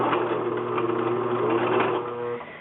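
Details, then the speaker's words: A Singer 6412 Millennium Series sewing machine sewing under motor power gives an uneven, rough skipping grind over its steady whir. The sound comes from a loose screw inside the right side. "So, if you listen carefully, the sound is actually coming from this department over here. And you hear it's actually skipping."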